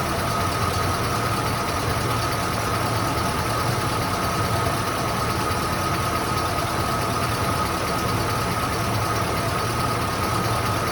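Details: 1993 Ford Bronco, freshly installed engine, first start before coolant top-up, idling on its own with original dual cats and factory exhaust: smooth even idle, no lifter or rocker taps or knocks; timing possibly slightly off.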